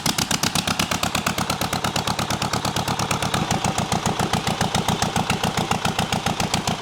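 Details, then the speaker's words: Zetor 25 two-cylinder diesel tractor, first start after full engine rebuild, no exhaust manifold: loud, sharp open-exhaust barks, fast and even at idle, about ten a second, both cylinders firing cleanly, sparks from the engine; normal running. "It started right up, it's incredible. There 's a spark coming from the engine , the engine is running on two cylinders"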